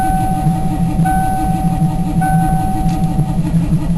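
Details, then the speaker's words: Ford Crown Victoria cranking in cold: starter drags slowly with whine and sluggish compression beats, never starts; owner suspects starter drawing too much power and draining battery. "he cranking over a little faster now but it's cranking over a lot slower than it really should be"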